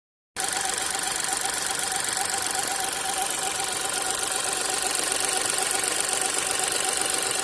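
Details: New VW T-Cross 1.0 TSI, manual, 600 km, petrol engine idling hot: busy ticking with a faint chirping squeak pulsing in the background; cause unknown.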